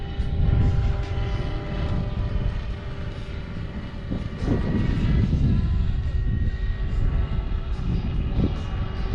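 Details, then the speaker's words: Roban Bell 407 RC helicopter in hover after re-gearing with new gears, on its NAZA GPS maiden flight: steady, smooth rotor and motor hum with a faint constant tone, much quieter, no gear whine or rattle; normal hover, quiet gear mesh. "that is definitely quieter much quieter [Music] I don't hear gear noise in that whatsoever oh my God that's so much quieter"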